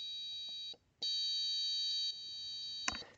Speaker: it's kind of fluttering a little bit because it was on the borderline of the range that we have